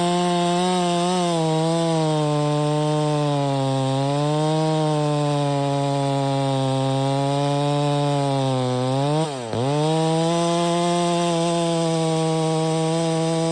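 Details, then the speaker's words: Stihl MS 660 chainsaw, 32in bar, after carburetor and air filter cleaning fixed its failure to hold idle: strong steady high drone cutting pine, brief dip recovering cleanly; running normally, though a broken fuel cap leaks and it smokes a bit. "I know it's just Pine but that was pulling it no problem the whole entire 36 32in bar man 660 that's a beast brother"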